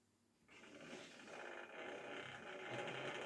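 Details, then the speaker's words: Hornby model railway loco "Belfast" during a maintenance-day run: motor whirs unevenly with buzzy, ratchety gear chatter and surging pitch, visibly unhappy; the pickup wire has come off, starving it of current (owner also wonders if track or wheels are kinked). "you can probably hear that that motor's not very happy. Yeah, you can hear and see that it's not very happy."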